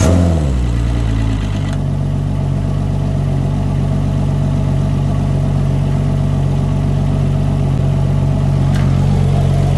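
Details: Yamaha outboard on a Contender 32CC, run on a water hose after long sitting: catches and settles into a steady, even low idle burble with no misses or knocks. Normal idle; this motor ran and shifted fine.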